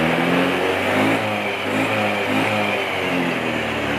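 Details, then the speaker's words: Honda Beat FI scooter after fixing stumbling on initial throttle (weak/leaking fuel pump sealed with glue): revs rise and fall smoothly on slow and sudden throttle, no flat spot or hesitation. "tarik kita tarik iklan Gas pelan aja bagus kita tarik gas spontan juga dia nggak kosong ya nggak nyendat"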